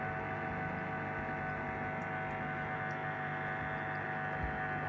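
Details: Two-month-old LG 11 kg Steam Direct Drive F1495KDS washer in wash cycle: steady electric buzz with low hum, intensity varying, up to 66 dB; recirculation pump suspected, not confirmed.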